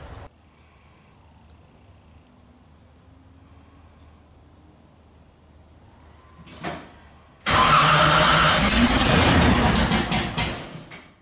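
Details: V8 fired up: long quiet stretch of cranking, then it catches and roars into a loud, choppy idle; slow to fire.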